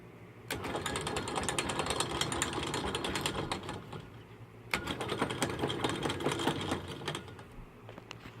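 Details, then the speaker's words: Atlas/Craftsman 12x36 metal lathe running in high-range back gear with lead screw disengaged: loose clattering rattle in bursts from a back gear with play on its shaft; owner thinks moving the retainer to steady it would stop the noise. "uh it sounds like a combine back here because there's some in play and this gear right here that's where all that noise is coming from"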